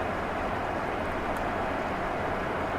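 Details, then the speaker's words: 1993 GMC Sierra half-ton 2WD extended cab with crate motor, test drive on spare tire after vibration and clunk repairs: even steady road rumble, no rhythmic shudder or clunk; driveline smooth at cruise, better tires still needed. "a lot better i think if he gets decent tires back on this truck it'll be smooth sailing"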